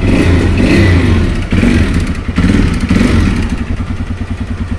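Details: TVS Raider 125 after repairing the starting problem and reconnecting the pulsar coil: fires on the first press of the self-start button and idles with a steady, even low thump of about four beats a second; healthy.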